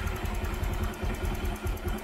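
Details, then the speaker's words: Honda Click 150 fuel-injected scooter idling after tensioner replacement and throttle body refit, engine not yet hot (the tick had been worst when hot): an even low putter with regular firing pulses and no top-end ticking; normal idle. "Okay, so yan, nawala na nga yung konting lagitik. Alright, so yan, tahimik na."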